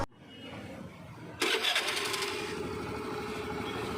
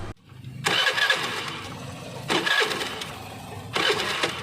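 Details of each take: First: Honda Activa 5G scooter after fixing an ignition wiring harness no-spark fault: quiet, then catches in about a second and settles into a steady, even idle with no misses. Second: Honda Activa 5G scooter cranking: seven short cranking bursts about two seconds apart, engine never catches; no ignition spark, traced to a wiring harness problem.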